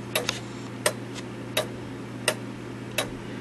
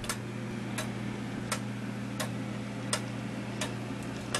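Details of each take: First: 1913 Gilbert count-wheel clock after movement overhaul, movement just refitted in case: sharp ticks about 85 a minute with uneven tick-tock spacing; out of beat, needing crutch adjustment. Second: Gilbert 1913 countwheel clock movement, overhauled and refitted in a non-original case: crisp ticks roughly every 0.7 seconds, spacing slightly uneven; movement runs well, beat still to be set by adjusting the crutch.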